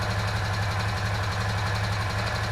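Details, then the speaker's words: Honda Foreman 500 ATV after refurbishing, started without choke or primer: even single-cylinder idle with fast light tick over the low thump; owner suspects a valve, not confirmed. "I had to bet, I bet that's a valve. Yeah, I believe we got some valves flooded there."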